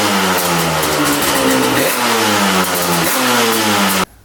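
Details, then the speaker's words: 1995 Yamaha Banshee 350 twin two-stroke after 18 years in a barn, air screws 1.5 turns per carb: crisp revs up and down repeatedly with no misfire or bogging; starts every kick, idles low, runs flawlessly. "it is running flawlessly starts up every kick idles perfectly nice and low and it revs out really really good"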